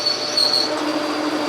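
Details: Logan lathe turning a telescope declination shaft with a cut about 8 deep, producing smoke: sharp steady high-pitched squeal throughout; chatter from excessive depth of cut at the machine's limit, backed off to 6.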